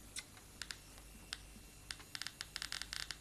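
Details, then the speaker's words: Geiger counter held to a wristwatch dial: sharp irregular clicks, sparse then bunching into quick bursts over a quiet hiss, from radioactive luminous paint on the dial. "Ja, det är självlysningen. Det är fosfor. Va? Just det. Det finns radioaktivitet i den här färgen. Och det är det som ger de här knäppningarna."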